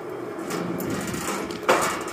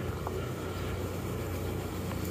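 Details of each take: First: Valley Pioneer GF480 trommel dirt screener on a VFD set to 308 RPM: steady low drum rumble with one sharp clunk; owner first suspects a protruding bolt head; later found to be weld beads hitting the drive wheel. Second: Valley Pioneer GF480 trommel dirt screener run slowly after the weld beads that clunked against the wheel were ground down: slow even low rumble with no knocks or clunks; now quiet and smooth.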